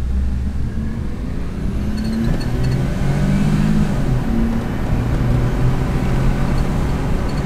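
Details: 1996 Suzuki Every van after its replacement engine computer was fitted: the small engine picks up cleanly and revs smoothly with steady, even firing, no misses or stumbles; running normally.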